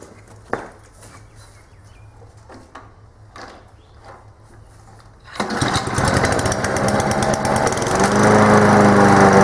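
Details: Honda lawn mower after servicing, just restarted after lying on its side during blade work. It fires at once and climbs to a steady, even deep growl with no misses, blowing a little smoke expected to clear. Normal running.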